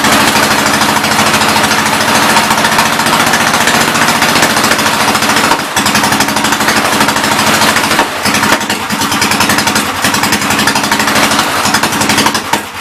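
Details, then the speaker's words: 1944 L running on carb cleaner at idle: rapid uneven chatter with pops and crackles toward the end as it runs out of fuel; owner expects a carburetor and fresh petrol will make it run. "So pretty much when it starts popping and crackling, it's running out of fuel. So that's good to know."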